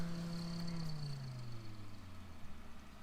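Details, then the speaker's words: Waeco camping fridge cooling fan, a 12 V D12BM-2, humming and slowing with a rough rattling and clunking. Its bearings are failing, and a replacement fan was swapped in. "they're pretty equal but you can hear that fan rattling and clunking away"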